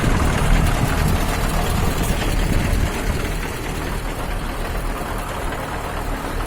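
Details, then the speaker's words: KAMAZ diesel first start after repair of an engine knock caused by a scored piston and liner, with piston and wrist pin replaced: deep, even rumble with a steady beat and no knocking; normal idle. "ребят наконец первый запуск после практике мой штук найдено устранён"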